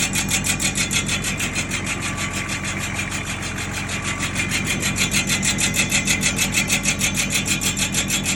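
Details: Nissan Patrol drum brake: rhythmic scraping grind pulsing about three times a second with wheel rotation over engine hum, something rubbing inside the drum; brake drum grinding.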